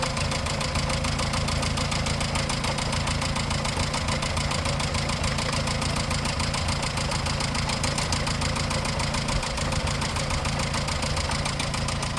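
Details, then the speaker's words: 1954 Morris Minor Series 2, heard at about 50 mph, at idle via listening tube: quick even tapping three to four per second from front two cylinders' valve train; excessive valve clearance, water pump bearing ruled out. "Didn't sound like a water pump bearing, and we think it is in the front two cylinders. Not quite sure which one, and it sounds very tappity, definitely on the valve train,"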